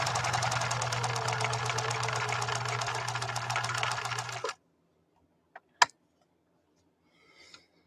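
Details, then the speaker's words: 1966 Husqvarna Viking 19E Special sewing machine sewing through two layers of genuine cowhide: even, quick stitching at about four stitches a second that never slows, then stops cleanly; no hesitation, strong healthy machine. "uh no it didn't even blink at that it was like what that's it that's all you're gonna have us do really"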